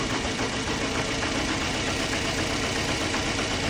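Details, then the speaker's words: 2008 Scion xB 2.4L misfiring and shaking at idle, smoothing out when revved; stumbling, lumpy beat over steady engine roar despite new plugs, coils and fuel pump and AC compressor bypassed; owner suspected vacuum leak, cause was leaking fuel injector seals. "and it still has this crazy shake at idle that won't go away when I gas it up the shaking goes away and the misfire goes away but at idle it misfires sounds like a vacuum leak but I have no idea"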